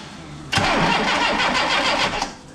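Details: Yugo Sana GL, first crank in about 20 years on a bodged-in battery: starter spins the engine in even pulses about two seconds, never catches, winds down; cranks but no start, fuel pipe later replaced.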